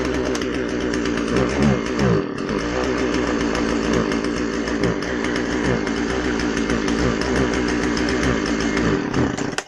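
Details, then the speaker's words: Husqvarna 136 chainsaw two-stroke after carburetor rebuild, test run: buzzes high and busy, brief dip near two seconds, then dies; won't idle on its own, low-speed jet mixture still needs adjusting. "now during this test run you'll see that uh it doesn't want to stay running on its own on the bottom end and we're going to find the uh we're going to find that point on the lowp speed jet where you lean it out until it runs"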